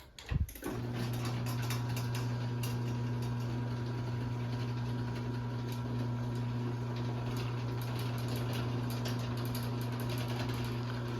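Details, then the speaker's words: LiftMaster 8587WL chain garage door opener on 7-ft T-rail, switched to small slow sprocket, chain slightly loose: steady low motor hum, light even chain chatter, far less popping and chain noise; slower but quiet. "I'm probably going to start using it on the small sprocket, because this thing makes so much less chain noise, and it pops way less when it's up here."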